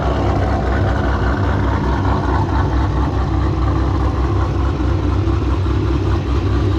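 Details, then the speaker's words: Procharged GTO after fixing fuel pressure issue in custom in-tank dual-pump setup, second pump kicking on, pressure holding around 42 psi; warmed up, no leaks, steady even low rumble, no misses or knocks; normal running engine. "all right guys we got this thing running I'm not seeing any leaks fuel pressure is still holding per perfect pressure seems to be holding perfect"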